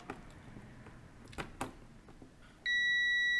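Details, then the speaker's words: Philips LatteGo espresso machine (probably 5400 series) with error 11, three blinking LEDs and no heating: continuity test on the heater's thermal fuses gives a clean, steady beep, so the thermal fuses are intact and conduct. "how to check thermals pipak, i.e. conduction of current You can't see the current a little far away, I have it on the battery pack, you can also hear the second Thermik,"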